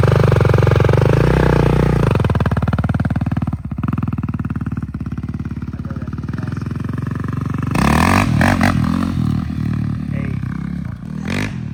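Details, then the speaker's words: Cheap 2021 450 dirt bike bought on Facebook Marketplace, warmed up, first test ride, aftermarket smaller sprocket: single pulls cleanly through steady throttle and rev changes, no misfires, pops or clatter; healthy, runs really good. "All right. First impressions? Runs pretty good for what it is. That runs really good."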